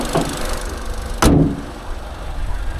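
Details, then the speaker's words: Auction car inspection with the bonnet open: the engine shows a low, steady idle with an even beat and one door thud midway. It runs smoothly, with original battery, coolant present and no usual housing leaks. Normal idle. "No usual leaks where you usually leak on the housings and stuff. It sounds fine."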